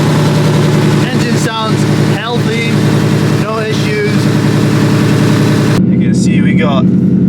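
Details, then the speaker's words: Wrecked clean-title 2020 Ford Mustang GT 10-speed: loud steady deep V8 burble with even pulse, no knocks or ticks, raspy exhaust of unknown type; engine sounds healthy. "it sound insanely loud all the neighbors going to hate me I'm sorry for my neighbors"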